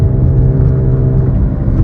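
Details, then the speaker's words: Chevy Cobalt driving after its wheel bearing was replaced: a deep, steady hum from the front wheel area, quieter turning left and louder turning right as weight loads the left wheel. "I turn to the right gets louder because the weight goes on the left wheel so that's why I thought it was a wheel bearing because usually when that happens us it's the wheel bearing that makes this noise"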